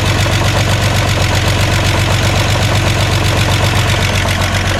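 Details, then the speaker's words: Jetta, just started after clutch install, warming up at idle: quick regular light lifter ticking about four per second, normal for fresh lifters until oil pumps up, expected to go away shortly. "he's alive it's normal it's easy I mean it's normal for the lifter to be ticking because they are fresh but this snow should go away in a few"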